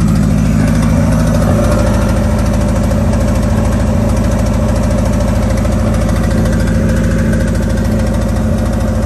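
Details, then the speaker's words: 1991 Nissan Hardbody just started after the 240SX turbo kit hot side was installed, with downpipe, O2/wideband and plug wires refitted. Loud idle with an uneven, stumbling, irregular beat; runs rough, cause unclear. "I'll start it up for you guys so you guys can. Yeah, it runs like shit."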